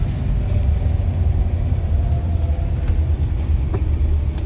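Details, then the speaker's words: Restored 1962 Corvette Roadster with 44,383 actual miles and a 4.11 posi-traction rear, on a drive in 100-degree heat; steady deep rumble from engine and road with no loose knocks or buzzes. Normal driving, no rattles. "I'm gonna be quiet though so you can hear there's no rattles."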